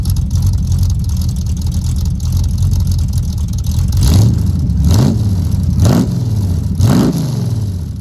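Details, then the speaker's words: 383 V8 El Camino cold-started without choke on new glass-pack exhaust with headers: steady deep idle burble, then four clean throttle blips rising and falling smoothly; normal cold idle and revving. "I know some people aren't a big fan of the glass pack sound, and I will say it really depends on the engine whether I prefer the Flowmaster sound or the glass packs."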